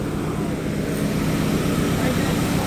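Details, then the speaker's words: Mitsubishi Adventure towed in as a no-start, after fuel tank lowered and hoses tightened: starts and holds a steady low idle rumble with no misses or knocks; normal idle. "Ayun, umaandar nga siya mga sir. Ayan o. Pinigpitan lang ni Patrick."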